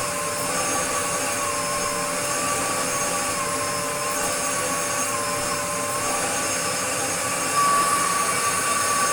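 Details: Restored Dyson DC02 DeStijl with suction restored, cleaning a floor: steady high-pitched motor whine with a smooth airflow rush, even and unbroken throughout. The vacuum cleaner is running normally.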